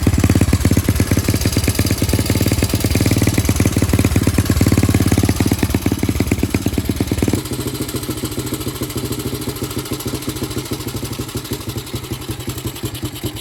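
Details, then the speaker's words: Honda CT125 engine, previously seized and never run since, rebuilt with a piston ring missing, first test run with exhaust fitted: uneven, clattery single-cylinder firing of about three beats a second, the note dropping midway. "so this is where we're going to uh give it a see if it a run um it's gone back together missing a ring"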